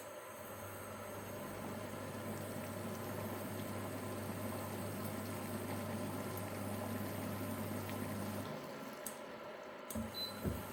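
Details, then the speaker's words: Anaconda Dune 4WD 240V induction cooker on a low power setting, water already boiling: a steady low buzz over bubbling water for about eight seconds, then the relay clicks off; normal low-power relay cycling. "go through each of them and just see what it's cut in, cut out's like, so you can hear the relay. Just giving it little cutting cutout."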